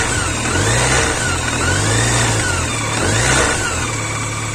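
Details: BMW K1100 motorcycle engine: steady mid-pitched four-cylinder hum with gentle swells as revs rise and fall, no distinct knock; unidentified engine noise, cause unknown.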